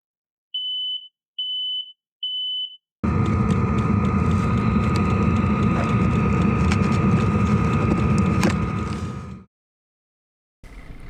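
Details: Camper van in Arctic winter on Alaska's Dalton Highway, subzero: three sharp high beeps of the carbon monoxide alarm, then engine rumble; alarm went off at 3 a.m. with stuffy cabin, diesel heater then checked.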